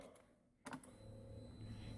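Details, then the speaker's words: Longjia Easymax 125 scooter (Korea Motors) towed in for no-start at below −15°C; after replacing the smart key remote battery, pressing the remote gives a sharp click then one short clear chime; smart key responds normally. "찡 소리 나죠? 시동 걸어볼게요."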